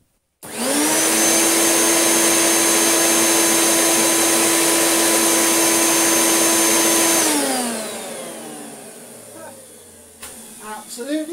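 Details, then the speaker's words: Hoover Turbopower UB088 upright vacuum, new but faulty since new, likely from a loose connector, after repair: on speed 2 the motor holds a steady high whine for about seven seconds without fluttering, then winds down smoothly. Healthy. "Nothing wrong with that in speed 1. I'll change it to speed 2."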